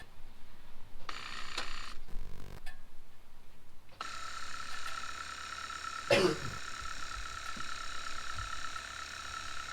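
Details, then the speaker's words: Jeep Wrangler TJ/LJ Rubicon factory air lockers, both activated for an electrical test: the rear pump builds pressure and shuts off, but the front pump whines and buzzes steadily without cutting out, a faulty air locker compressor pump. "so right away we see one problem the rear went ahead and turned on and then pumped up the pressure turned off the front just keeps pumping"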